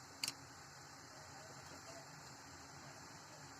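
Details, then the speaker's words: Intex Roar 301 headphones: a single short high beep at power-on over a quiet hiss. The owner calls it a defect in this unit that may need replacement. "ये ना जैसे power on करते ना तो beep की आवाज़ आ रही है"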